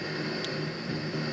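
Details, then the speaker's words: FM radio receiver tuned slightly off the station: steady hiss with faint garbled audio underneath and no clean sound. Mistuning is the usual cause; the fix is to move the tuning one way or the other. "now that is not what you want to have sometimes sometimes if your receiver sounds like that nine times out of ten your station is not tuned in the way it should be"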